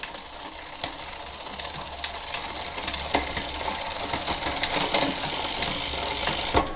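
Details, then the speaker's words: Bicycle rear derailleur after reinstallation and limit-screw loosening, chain in first (lowest) gear: fast, uneven metallic clicking and chatter with sharper clacks; noisy drivetrain, suspected B-screw adjustment too close, not confirmed. "now that did it made it to first gear and it is a little noisy as you can hear but it is shifting so the gears are working and they're shifting through but as you can tell the drivetrain is real noisy and so that may have to do with the b screw adjustment"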